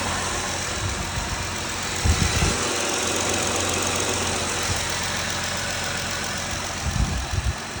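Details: Petrol engine at 55k miles idling steadily with light quick ticking and a couple of dull thumps; owner unsure whether injector chatter or lifter tick.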